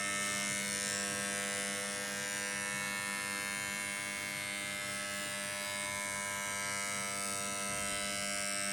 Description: Pinball Fireball not starting properly.(buzzing sound).